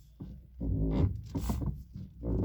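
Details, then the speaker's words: 2011 Lada Priora, loud tonal squeaking and groaning in bursts as the steering wheel is turned back and forth; owner suspects the electric power steering or the steering rack but is unsure. "при поворотах не сдается такой неприятный скрип очень громкие и неприятны"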